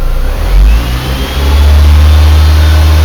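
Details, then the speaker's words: 2004 Honda Civic EX with Pioneer AVIC-X910BT head unit and aftermarket amps: a thin whine through the car speakers, loudest in the 1-inch tweeter, climbs in pitch with engine revs. Noise also shows on the screens above a certain RPM. Owner suspects a noisy power wire or amp ground. "oh I hate you I hate you alternator noise you're driving me nuts you can like especially hear through the 1in Tweeter it just drives me nuts"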